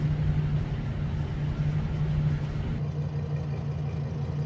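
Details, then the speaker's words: 2006 Ford E450 with a 6.8L Triton V10, severely overheated, blown head gaskets, nearly seized; idling just after two bottles of Blue Devil head gasket sealer were added. Low, steady idle hum that pulses slightly and unevenly, with engine shake. Misfire from coolant entering a cylinder. "so we'll let it run for 50"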